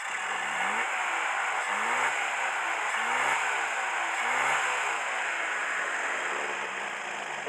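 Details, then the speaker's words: Mercedes W115 with carburettor, not started in 3 years, now warm: steady, even tickover with no misses, picks up cleanly on throttle blips, better than before; normal idle. "as you can see it's certainly ticking over better now it is warm as well"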